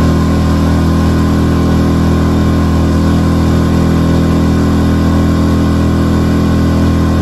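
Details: New Hangkai 6.5 hp four-stroke outboard on a 10-foot jon boat under way: steady, even drone with firm low hum, no knocks or misses; running smoothly and healthy.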